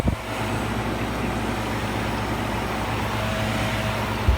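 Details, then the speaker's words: Philco Noisless 6800 BTU air conditioner from the 1960s–70s, with its compressor running. A low, even hum with a mains buzz and no rattles, knocks or squeals. It has a full charge and blows cold, so normal running. "Can't really get the sound of it on there. It sounds really good. Really, really good."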